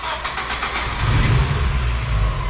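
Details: Mazda Miata newly turbocharged, first start after tuning: starter whirs briefly, then the engine catches and settles into a steady, even idle with no stumbling.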